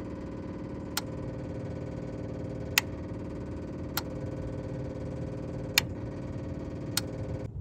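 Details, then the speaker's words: 2000 Chevrolet C3500 4x4 diesel, after five gallons of diesel were added: sharp clicks every second or two over a steady electric hum. The lift pump cycles on and off but no diesel reaches the filter body. "so I can hear the pump the lift pump cycling on and off I just don't see any diesel yet"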